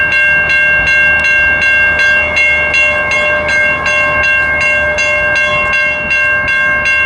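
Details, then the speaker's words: Norfolk Southern railroad crossing in Birmingham, Alabama, malfunctioning with no train approaching, possibly triggered by stored ballast hoppers nearby; it was later fixed and blown bulbs replaced. Steady bell clangs about 160 strikes a minute, so the warning is stuck active. "all right i'm out here at richard harrington junior boulevard number one in birmingham alabama as you can see the crossing is malfunctioning"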